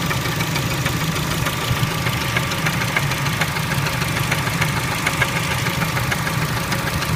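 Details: Engine knock at idle on a Kia Spectra: sharp, uneven metallic knocks, roughly a hundred or more a minute, over a steady idle; cause unclear.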